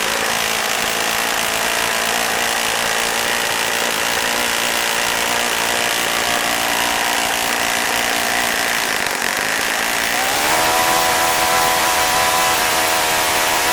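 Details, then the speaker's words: Saito FA-65 four-stroke model engine at low idle, high-speed needle set for flight: soft burbling buzz rising in pitch; idle mixture running rich, having earlier died from richness when taken down toward the hoped-for ~2500 rpm (previously idled ~3300 rpm). "but when I went down that low it just died because it was too rich"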